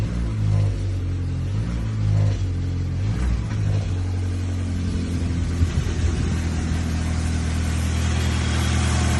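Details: VW Golf V 1.6 FSI petrol engine idles and revs with an uneven, stumbling beat: a misfire.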